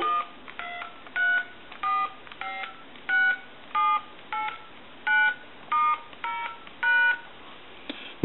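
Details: Harris TS22 lineman's buttset, correct polarity (green LED): eleven clean, evenly pitched touch-tone beeps keyed one by one; DTMF keypad dialing works properly.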